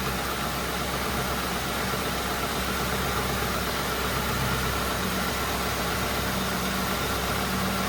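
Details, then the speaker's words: Mercury Grand Marquis at idle with AC on, after replacing a squeaking tensioner, idler pulley and serpentine belt: steady, smooth low hum with no squeal or chirp; the tensioner no longer bounces, so the belt drive is healthy. "Sounding pretty good. Let's turn on the AC, because if the AC makes it start doing it again, I might have to do something with the AC on this car. No squeaks."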